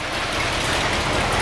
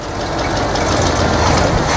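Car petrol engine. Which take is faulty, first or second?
second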